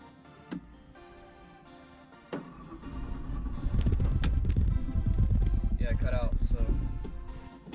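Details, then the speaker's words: 1991 Ford Ranger 3.0 V6, rear-wheel drive, very low fuel. Brief crank, engine catches and runs rough a few seconds, then sags and dies with a big smoke plume; starts and drives but poorly, stalls after start. "she does start she does run she does drive but not well and I'll show you what I mean so you don't have very much fuel let's see if it even starts"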